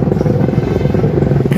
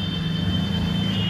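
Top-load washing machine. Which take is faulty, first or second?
first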